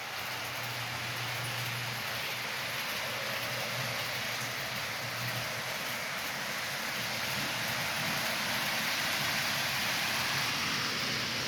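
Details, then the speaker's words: Homemade HO-scale Union Pacific 4-12-2 with a swapped cheap Chinese motor, pulling 28 cars: quiet running with popping about four times a second in a curve, as the blind driver rides up and drops back onto the rail. "every now and then go through a corner you can hear it a popping noise and that's the um front or the rear Rim the blind driver trying to get back on the track"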